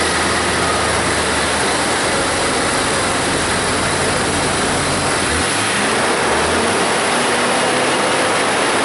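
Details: 2000 Jeep Cherokee Classic 4.0L six-cylinder, about 130,000 miles, after P0300/P0306 misfire repair: an even, hiss-heavy idle with a steady low pulse and no skips. Misfire monitors read zero; all cylinders are firing cleanly.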